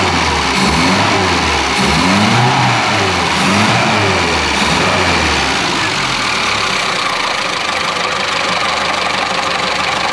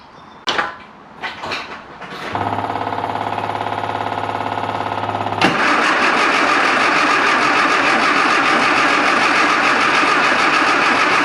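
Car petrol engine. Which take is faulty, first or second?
second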